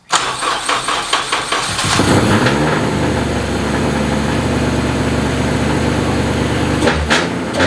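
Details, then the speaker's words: Honda K24 swapped into a CR-Z, running a FuelTech FT450 ECU on a converted K20 harness, first start-up: a few cranking chuffs, then a loud, fast, steady idle; the idle is set too high and needs turning down. "Yeah, it's hard to tell. It's really loud. Yeah, we need to turn the idle down."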